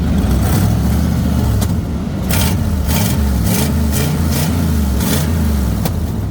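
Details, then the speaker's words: 1997 Ford derby car revving after transmission flush and new radiator, exhaust not yet hooked up properly: sharp puffing tick with each throttle blip from down at the loose manifold collector. Exhaust leak. "yeah they're defin definitely an exhaust leak down there"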